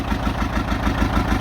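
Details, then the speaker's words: 1959 John Deere 830 Industrial diesel tractor, started with its gasoline pony motor after oil change and fuel-leak fix: steady, even low chugging beat with no knocks or misses; healthy running. "so it's just kind of nice to hear the big engine running I don't think there's a better sound in the world than that"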